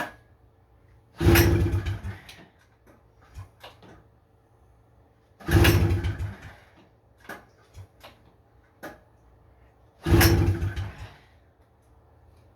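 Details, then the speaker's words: 1977 Honda FL250 Odyssey, choke on, throttle zip-tied: three pull-start attempts, each a short churning burst with sputters, never catches; owner suspects rusted carburetor with broken parts, unconfirmed. "I think the carburetor's cooked, guys. There's a couple broken parts in it, and it was really bad rusted out."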